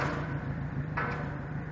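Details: Yamaha 90 outboard at 1400 hours with dirty injectors: clattery, slightly uneven low beat at idle rather than smooth hum; rough running from bad, dirty fuel injectors.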